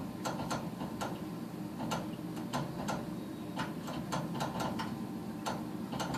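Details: Furnace that doesn't fire every cycle: irregular sharp igniter ticks, about two to three a second, over a low steady hum. It repeatedly sparks but the burner never lights.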